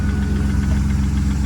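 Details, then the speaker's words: BMW E36 drift car petrol engine idling steadily with a light, regular lifter tick over its low, even rumble; lifters are to be replaced to quiet it. "you guys can hear that got a bit of a lifter tick going on here see if you can get a good listen to this"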